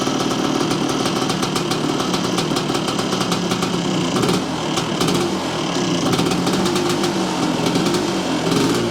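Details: 1978 Yamaha IT400 two-stroke, restarted after idle judged too low: fast raspy idle with light popping rhythm, holds steady without stumbling; normal idle.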